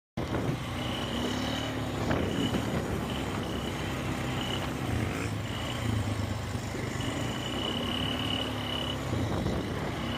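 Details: 2000 Polaris Sportsman 500 4x4 ATV running with a thin, high-pitched chirp coming and going over the low engine note; cause unclear.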